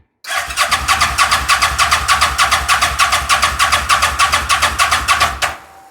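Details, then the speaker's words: Fire-damaged CF Moto Z Force 800 UTV after priming fuel pump, with some throttle: fast steady cranking about three turns a second for five seconds, one brief sound but never catches; owner suspects it needs brake clean, air filter unchecked. "Well, god damn it. I mean, we're getting closer. It did make a sound."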